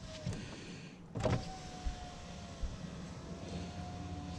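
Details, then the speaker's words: Saab 9-5 power window after lubricating the sticking window channel with silicone spray: one clunk at the start, then a steady, even motor hum while the glass travels, with no squeal or dragging; runs smoothly now. "sounds a lot better"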